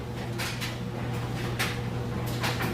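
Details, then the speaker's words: GE electric dryer matching an HE top-load washer, on timed dry at regular (high) heat with clothes: even motor hum and soft tumbling thumps, no squeaks, squeals or vibration; normal smooth dryer operation. "and as you can hear it's nice smooth sounds great"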